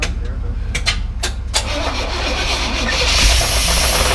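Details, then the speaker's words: 1987 Grumman ice cream truck engine; cranking bursts then catches into rough run with heavy jackhammer-like knock underneath; cause unknown. "Oh big-time knock what's that about buddy this hmm probably a up sellers do yeah sound like a jackhammer though"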